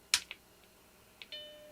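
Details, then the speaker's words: Macintosh Classic II or SE/30 compact Mac on the bench at first power-on: soft click then one clear, bright chime, screen comes up; supply reads 12.7 V, a little high; normal startup chime. "All right, we got a chime. And we got stuff on the screen."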